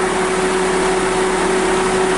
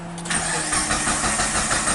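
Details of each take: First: Mitsubishi Lancer CS3 with 4G18 engine, brought in for stalling and crank no start, now idles with a steady even hum, no misses or knocks; running smoothly. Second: Mitsubishi Lancer (4G18, stated 2003 or 2006), stalled on the highway, no DTC and no spark: starter churns at an even cranking rhythm with no catch or firing; crank-no-start, traced to a failed crank sensor.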